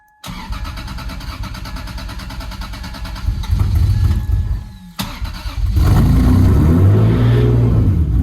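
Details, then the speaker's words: 1995 Lexus SC300 first start-up after repairs: even cranking, then it catches cleanly, blips once and settles into a steady smooth idle with a little smoke; a healthy start. "well that answers our question she's happy yeah it's a little smoke there's probably stuff that's needs to settle in"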